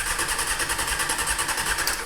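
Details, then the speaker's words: 1998 Honda CBR600, 34,000 miles, sat about a year and won't start (owner suspects carburetors need cleaning); quick, even chuffing as the healthy starter spins it over, no uneven beats, compression balanced across cylinders: normal cranking. "Healthy starter. Engine sounds good just from that quick little spin."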